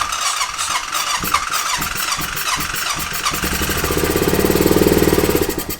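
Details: 2005 Honda TRX650 Rincon, 650cc single-cylinder four-stroke, air filter removed, on choke: dragging cranking, then a couple of seconds of rough running as the battery tires. Hard start; cause suspected but not confirmed, and compression seems good.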